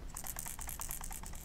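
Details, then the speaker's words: Portable Zink photo printer at power-on: quick light ticking rattle, about ten clicks a second for 1.5 s, as if something is loose inside. "there's like something rattling around in here"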